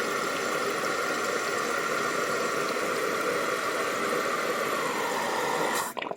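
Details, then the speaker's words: Toilet tank refilling after new fill valve and flapper installed: steady hiss with faint whistle, water reaches mark and fill valve shuts off cleanly to silence, no noise, good seal; normal refill after repair. "Okay, the water at the mark, and then let's shut it down. The most important thing, I don't hear any noise come out of here, okay?"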